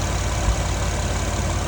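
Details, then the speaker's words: Acura MDX idling: a loud, raspy, low-pitched idle with a deep chuffing pulse. The whole exhaust system is broken from the engine back, including both catalytic converters and the mufflers, and leaks exhaust fumes. "Well, it's not coming from here, that's the exhaust. You can smell it."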